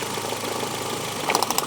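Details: Twingo after the fault was fixed, now running smoothly on all four cylinders: the steady idle turns into a loud, uneven ticking beat once a plug lead is pulled, showing that cylinder had been firing. Misfire from a deliberately disabled cylinder.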